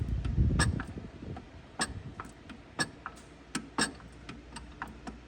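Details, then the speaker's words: Turbo Hayabusa drag bike gearbox: light, uneven metallic ticking at about four per second, present in every gear; no output-shaft cracks or wobble found, owner suspects a shift fork, cause unknown; transmission ticking. "extra noise there that noise has done that in every single [Music] gear and I don't know what it is"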